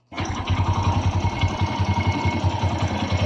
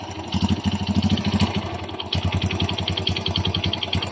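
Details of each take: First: Kawasaki Bajaj CT100 single after replacing a loose timing chain: settles into a steady idle around 160 beats a minute with no chain rattle or slap; normal idle. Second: Kawasaki Bajaj CT 100 motorcycle engine at steady idle: quick, even metallic clatter on every firing pulse; timing chain slack, excessive clearance found on checking, chain replaced with a new genuine one.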